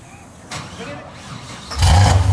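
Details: Car that had died and wouldn't fire up despite having gas, started just after a part was replaced: quiet, then the engine catches and settles into a deep, low rumble. It starts and runs.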